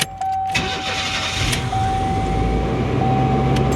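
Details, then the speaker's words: Old GM van with a brand new starter: short crisp crank with no grinding or clicking, engine catches fast and settles into an even idle. "Starter sounds amazing. Sounds like a brand new starter, because it is."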